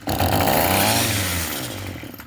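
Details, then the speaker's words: Craftsman 27cc two-stroke string trimmer, free, primed with two-stroke mix down the carb throat: sharp bursts rise to a buzzy rev then die within two seconds; fires only while throttle is held, won't sustain; carburetor to be removed. "Okay, so I had to hold the throttle. Okay. Well, that was still odd. It fired up."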